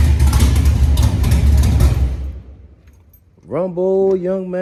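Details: 1987 Monte Carlo SS with swapped LS 6.0 V8, CNC heads, headers, 42 lb injectors and base tune: deep, lumpy V8 rumble for a couple of seconds before fading; engine sounds healthy.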